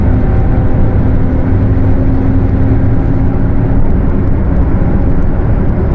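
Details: Mercedes-Benz OF 1721 bus, Torino S body (Viação Estrela 100.141), cruising: steady low roar with a constant hum over the road noise; the differential is roaring.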